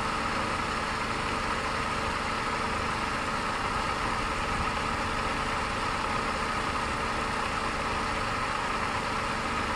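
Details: 2002 Mercedes C230, supercharged four-cylinder, running while hooked to a jump because of a suspected battery or power fault. A steady, even idle with a constant hum and no knocks or misses; the engine holds its speed smoothly.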